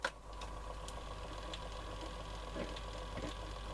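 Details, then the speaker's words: Murphy TR1 tape recorder with Garrard cartridge deck in play mode: soft even motor hum, faint steady whir and light mechanical ticks with no labouring or squeal; magic eye lit, so the power supply (HT and LT) and motor are working. "So the power supply is working. The motor's working. You can hear it."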